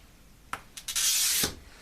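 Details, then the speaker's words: Glass cutter scoring glass, one of an old box of cutters being judged by sound: a few light scratches, then an even, smooth half-second hiss with no chatter or notching, indicating a good cutter wheel. "See, that sounds like a really smooth cut, and that's even better"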